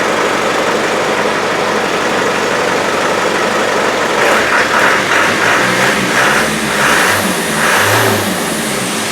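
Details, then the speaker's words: Ghana Land Rover Defender 110 diesel, after a full day of pipe work: catches promptly, steady idle with a few clean revs, loud intake roar because no air cleaner is fitted yet; normal start, now running much better. "it's now a runner, and it sounds a lot better. And it starts a lot better too. That's what it should start like."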